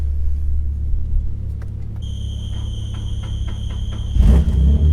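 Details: Nissan G35 with VQ35DE engine, sat for months, fires right up on jumper cables, with a few light clicks and a brief chime, then settles into an even, steady low idle; normal idle.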